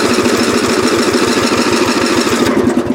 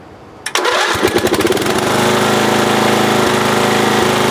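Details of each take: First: Lawn tractor about 35 years old (possibly 1982–83), restarted hot right after driving: the starter churns the small engine steadily but unevenly and it never catches; hot no-start, owner suspects the ignition coil and plans to replace it. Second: Roughly 1982–83 lawn tractor single-cylinder engine, which had trouble restarting when hot, cranks briefly and catches within a second into a steady, even idle on a warm restart after a new ignition coil was fitted.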